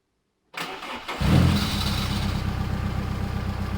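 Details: VW Polo GTI 6N2 track car, replacement engine first start in the car: catches after a short crank and settles into a steady, even idle with no knocks or misses; normal start and idle.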